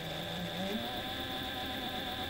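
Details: Reliable SewQuiet 6000SM servo motor on a Juki DDL-8700 industrial sewing machine without oil, mic close to the motor at slow then faster speed: faint steady high whine with soft hum, no grinding or knocking; normal running.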